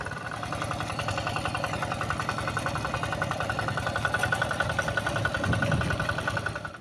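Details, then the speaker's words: Yanmar TF85 diesel tractor after repair: steady, even diesel thump at idle with a tinny rattle from the loose, worn tractor housing over it, no heavy knock; engine itself runs smoothly, normal idle. "Sebenarnya mesinnya ini sudah halus ya. Cuma ini banyak e sudah longgar-longgar atau sudah oblak pada rumah traktornya."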